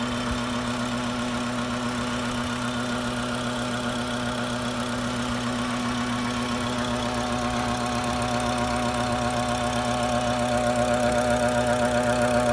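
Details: BMW F10 535i with N55 engine at steady idle: a fast, even ticking chatter of about four per second over the engine. Cause was a faulty boost control solenoid; the noise was gone after it was replaced.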